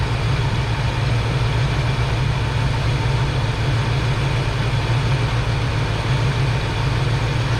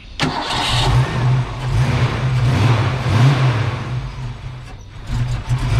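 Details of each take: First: Foxbody V8 after a base idle reset, with timing set and TPS adjusted from 0.73 to about 0.97–0.98 V: a steady, deep, even idle rumble, idling great. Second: Ford Foxbody V8 with stock cam, deliberately misadjusted throttle screw and distributor timing before a base idle reset: it cranks, catches and idles with an uneven, lumpy pulse that rises and sags.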